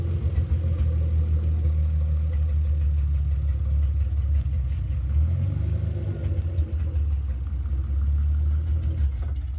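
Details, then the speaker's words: 2JZ-swapped Mk2 Toyota Supra on a test drive: deep, steady engine and road drone, with the earlier drivetrain noise now gone and no whine, clunk or grind; normal drivetrain running. It still sometimes misfires badly until restarted. "so Joe and Jack just took the super out for a test drive and it seems to be working okay now drivetrain noise is gone"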